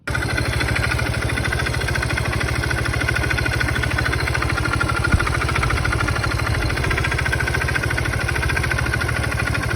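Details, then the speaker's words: Scooter engine idles with a fast, even knocking clatter on every turn; oil pump with loosened bolts and its sprocket replaced with new parts, yet the knock remains, cause unknown. "Все равно все стучит скажите что может быть стучит Вот так вот"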